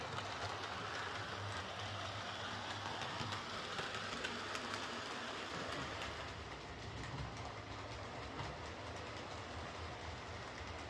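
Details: Bachmann Webb Coal Tank 0-6-2 model locomotive pulling coaches after repair of dislodged rear axles, bent pickups and a filed deformed wheel flange: light even wheel clicking at a steady pace, no knocks or clunks. Runs smoothly.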